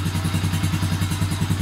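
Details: 2006 Honda Rancher TRX350TE ATV, just fitted with a new carburetor replacing a leaking one (float sticking), carburetor not yet adjusted, started unchoked on low battery: even single-cylinder putter about ten beats a second, steady and smooth; normal idle.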